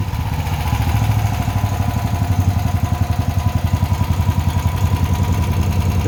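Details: Honda generator after a no-start tune-up (carburetor cleaned, oil changed, fresh gas), first start with choke on: steady low chugging, regular firing pulses, no misses, knocks or surging; normal idle.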